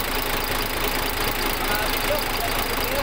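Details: Freshly overhauled diesel engine idling after a successful rebuild: a loose, rhythmic clatter of about one beat per second under a busy hiss. It runs steady and sounds normal.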